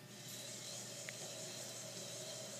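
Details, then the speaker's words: Mazda 3.90 ring and pinion set turned by hand, dry, after proper setup with about 0.0007 in runout and 0.003-0.0033 in backlash: soft, even rubbing whir with no clicks or rough spots; smooth, quiet gear mesh. "next as you can hear this gear is very quiet in operation unlike the gear we had posted just the other day very smooth there's no lubrication on this gear but you can hear how wonderful this gear sounds how quiet it"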